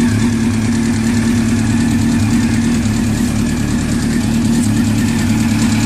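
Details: Honda CBR600 F motorcycle idling evenly with a light, rapid tick that keeps pace with the engine; cause not identified.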